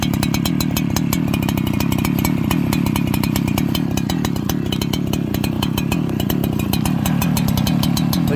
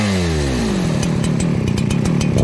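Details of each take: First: Farmertec 288xp kit two-stroke chainsaw on its first start, still breaking in, carburettor not yet tuned: putters along at a very slow, lumpy idle, barely keeping itself running; low idle speed, idle later turned up. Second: Farmertec 288xp kit chainsaw at first start while breaking in, idle turned up a little during tuning: a buzzy two-stroke note falls smoothly from high revs into a steady, even run, with clean throttle response.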